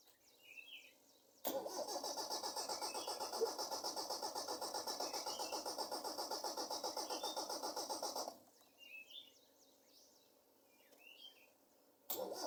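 Long stretch of steady cranking at about four turns a second with no catch, then stopping and cranking again; engine won't fire.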